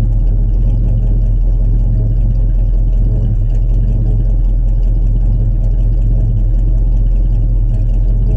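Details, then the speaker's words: 1967 Chevrolet C10 stepside pickup, fresh cold start, not run that day: deep, steady low rumble with an even beat and no knocks or ticks; old V8 idling smoothly after a cold start. "this is going to be a cold start we haven't started it today at all so this will be fresh cold start we'll hear what it sounds like and be right back"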